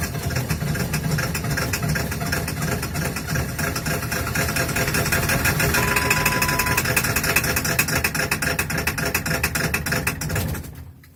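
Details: Ford 7.3 Powerstroke diesel at -35°C, block heater plugged in overnight, glow plugs cycled over two minutes, third start attempt; fires unevenly with loud rattly clatter and loping beats. Hard cold start, owner attributes it to bad injectors needing replacement.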